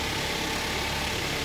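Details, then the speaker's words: Grand Max engine freshly rebuilt, during break-in: an even, steady idle with a smooth, unbroken hum, no knocks or ticks; healthy. The steering pump pressure switch appears not to raise rpm. "Nah, itu baru suara mesinnya."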